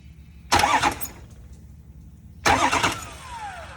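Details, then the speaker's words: 2004 Ford F-350 6.0L diesel after injector replacement, cylinders vacuumed out: two short starter bumps about two seconds apart, spins freely without firing or binding. "you hear how it's cranking that's a nice smooth crank it's not a whoop or anything like that that tells you that this engine mechanically doesn't appear to have anything"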